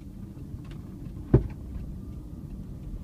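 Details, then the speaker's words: 2000 Toyota Land Cruiser 100 series turning right on the road: one sharp, dull pop from the right front wheel area over road rumble, present for about 4 years despite new control arms, ball joints, tie rods and CV axle. Suspension pop, cause unknown. "you hear that that is what I'm dealing with see if it does it on this turn that time it did it twice but a little bit quieter"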